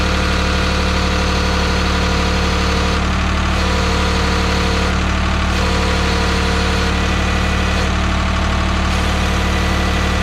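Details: 1985 Ford 545A backhoe, 3-cylinder Ford diesel, cold start after rebuilt injector pump installed: steady, even idle, regular low thrum about 200 beats a minute, no knocks; runs good but hydraulics very slow; normal idle.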